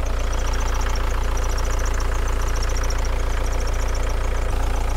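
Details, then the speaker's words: 1987 VW Camper with a newly changed turbo, idling with some hunting and no scan faults: fast, regular light ticking of about three to four per second as the boost control solenoid clicks. "I'm just curious see I think that that little solenoid is actually clicking away there I just want to do the stethoscope method hose in the air"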